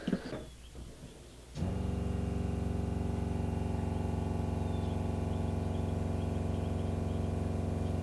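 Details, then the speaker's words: RV water pump after installing an accumulator tank, recorded across the bed while a kitchen faucet is opened: it kicks on with an even, steady hum and fine pulse. The chugging is gone and the pump is slightly quieter. Normal running. "so I'm going to go out in the kitchen and open up the faucet when the pump kicks on we can see if it's any quieter or not"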